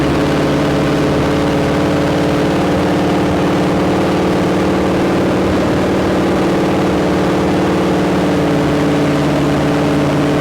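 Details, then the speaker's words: 1972 Ford Maverick with a freshly rebuilt 317 V8, on a restart. A deep idle that drifts slightly up and down rather than settling. Erratic idle; owner suspects a vacuum or air leak, possibly under the carb spacer, unconfirmed. "so yeah it feels it sounds like it's got an air leak it feels like it's got an air leak vacuum leak something yeah it's kind of erratic"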